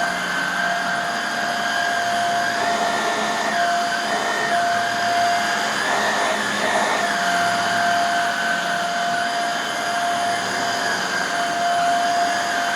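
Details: Refurbished Hoover Air Steerable vacuum, commutator polished and new lower hose fitted, test run on carpet: smooth, steady motor whine holding one pitch, with only brief dips as it moves; decent suction, healthy.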